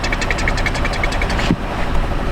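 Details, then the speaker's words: 2007 Honda Odyssey with EVAP low purge flow codes, purge solenoid commanded at 35% during an actuation test: fast light ticking over the idle that cuts out abruptly. Vacuum leak suspected, not confirmed. "Sounds like a vacuum leak."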